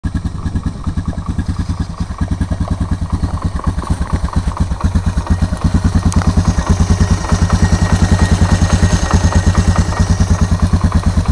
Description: my 2004 honda recon es with a noticeable engine knock at idle. cold start